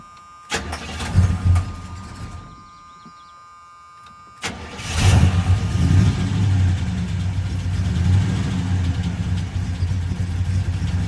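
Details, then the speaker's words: 1977 Chevy C10 with a broken rocker arm and pushrod, rocker removed and valve cover refitted: first start dies, second catches to an uneven, loping idle with a missing pulse; one dead cylinder. "Oh it's running not very smooth but I think it'll be enough to get us back the eight miles to the shop"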